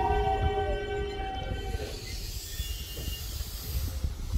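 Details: Toei 5300 series set 5315, Mitsubishi GTO-VVVF, on Keikyu line rapid limited express (Misakiguchi–Kanazawa-bunko), in-car recording: several steady motor-drive whining tones cutting out after two seconds, leaving wheel rumble, abnormal traction inverter noise.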